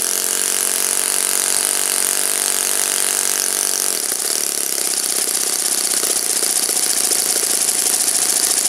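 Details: Saito FA-56 four-stroke glow engine, first run after teardown, cleaning and bearing replacement, 12x6 prop, OS F plug, Omega 5% fuel, tuning run: high buzzy note steady at high revs, slight change midway as mixture is adjusted; normal clean running.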